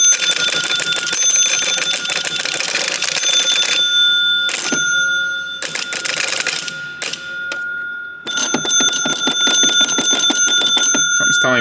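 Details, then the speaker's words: Barn-find 1961 Gottlieb Corral pinball machine during repair: bright bell rings in uneven bursts with relay clatter between; bell is a little loose. "the bell's a little loose."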